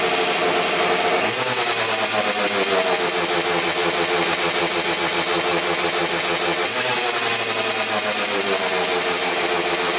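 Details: 2000 Suzuki RM250 two-stroke (249cc), unrun two years, fresh premix fuel, cleaned carb, good compression: very loud, harsh, raspy idle crackle with a sharp hissy edge; big split in the expansion chamber leaking exhaust, needs welding.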